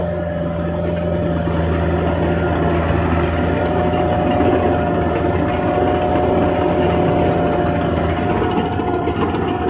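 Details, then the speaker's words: Late-1980s Caterpillar 943 diesel at full throttle driving up and down a steep hill; deep steady drone holding even under load, no surges, dips, jarring or hesitation from motor or transmission; normal healthy operation. "All right, like I say, no jarring, no hesitation from the motor or transmission. It all runs good."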